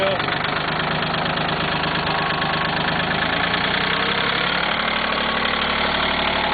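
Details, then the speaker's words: Cub Cadet diesel tractor just started after glow-plug heating, around 48-50°F, previously wouldn't fire: steady diesel clatter at low idle, even beat, no stumbling; idles fine all the way down and up. Normal idle. "It's kind of weird. This all the way down idle. So idle just fine. So idle up just fine. You just sit here and run."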